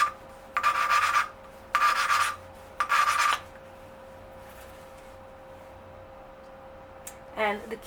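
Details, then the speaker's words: 1982 Yamaha XT200 engine rebuild, valve lapping with coarse grainy compound: three short, gritty, higher-pitched rasping strokes with faint hiss, compound still cutting the contact points, so the valve is not yet seated for a good compression seal. "for this is you want to hear a higher pitch when you first start out um that compound has um it's grainy so um it helps to you know kind of you know sand down uh the contact points so you can get a good seal good compression in the chamber"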